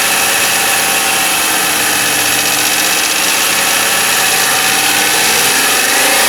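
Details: 1995 Lincoln Mark VIII LSC, Ford 4.6 DOHC modular V8 at idle: quick tapping about three a second over engine hum; unclear whether lash adjuster tapping or piston slap/rod knock.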